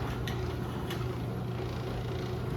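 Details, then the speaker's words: Newly installed Chamberlain 248739 belt-drive garage door opener running door down: smooth quiet low drone, no grinding, squeal or knock; normal operation, belt may need slight tightening. "good. It's not very loud."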